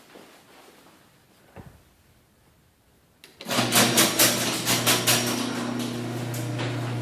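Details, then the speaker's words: LiftMaster 8165 1/2 hp chain-drive garage door opener (2015), running: steady motor hum with rattling clatters as the chain runs; owner suspects a loose chain is dragging and needs tightening, also travelling too far down, not confirmed. "I'm thinking I'm also gonna have to tighten the chain I think that's a little bit loose because you can hear dragging on Tralee"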